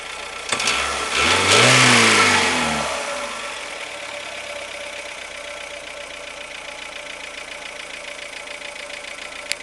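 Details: 2007 Renault Logan 1.6 8-valve engine, driven about 20,000 km with the knock: quick rev rising and falling, then steady idle with a faint hard edge; possible engine knock, cause unknown.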